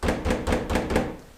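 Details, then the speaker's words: 1997 Toyota RAV4 on a rough road after new suspension: five quick hollow knocks, about four a second, from the rattling rear back door with play in the latch. "I'm just driving down your typical kind of beat-up road here in Utah and the amount of noise coming from that door is maddening there's a lot of play in this latch and the door opens easily"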